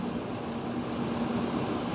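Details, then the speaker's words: Low-mileage 2008 Dodge Ram 1500 SLT V8 with a 6-speed manual and a fresh synthetic oil service, idling with the hood open: a smooth, steady low drone with no ticking or knocking. This is a normal idle. "And yeah, you can just listen to it idle. There's no abnormal ticks or anything."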